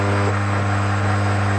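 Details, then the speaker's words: Key duplicating machine making a second pass over a key after realigning it in the vise to complete the cut to the end. Steady, even motor hum with no scraping; nothing left to remove, cut is complete. "That's because it's already been cut. It'll only be right about now that you'll start to hear a bit more. No, we heard nothing, so I'm happy with that cut."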